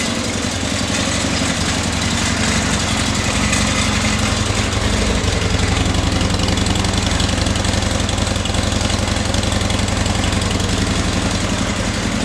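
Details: Flood-damaged 2011 Harley-Davidson XR1200X, 128 miles, new battery, fuel drained and refilled fresh, no water found at plugs: loud lumpy V-twin idle about 220 beats a minute, steady with no misfire or knock; normal idle.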